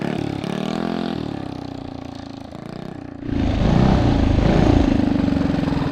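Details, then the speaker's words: 228cc Tillotson racing engine (about 23 hp) on a Monster Moto mini bike with the small carburetor, after opening the coil gap beyond 0.055 in: revs climb cleanly and strongly with no breaking up. "I think we've got it. Awesome."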